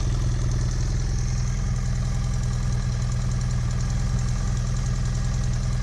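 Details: 2010 BMW F800GS twin, engine hot at idle: fast uneven tapping about three or four a second over the low engine note; owner suspects valves or piston, cause unconfirmed.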